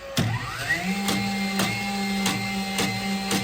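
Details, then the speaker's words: DeWalt DCN21PL 21-degree framing nailer with about 25,000 nails through it: motor whirs steadily with a regular click about twice a second, but no nail fires; weak or broken internal springs need replacing. "Not shooting at all. Basically, there's some springs inside here that are getting weak or broken, and they need to be replaced."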